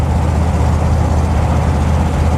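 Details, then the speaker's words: 1975 Chevy van, hot day around 90°F, driving after shifting through all gears fine: deep, even V8 rumble under steady load with no knocks or misses; engine running well. "Shifted through all the gears just fine."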